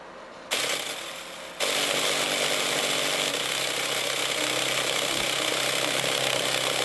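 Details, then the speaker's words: Used JBL subwoofer tested live on an amp: harsh loud rasping buzz with no clean bass, cone not moving; damaged voice coil suspected. "obviously something wrong with a voice coil it's not even moving the woofer at all"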